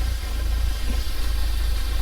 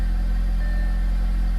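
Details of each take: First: Audi B7 A4 after cold air intake and diverter valve install: idle briefly improves, then turns uneven and lumpy with a wandering shaking pulse; rough idle, vacuum leak suspected, codes to be read. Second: Tuned Audi at idle after new spark plugs, intake and diverter valve install: deep, smooth, even hum with no rumble or misfire; previous rough idle gone, engine running cleanly.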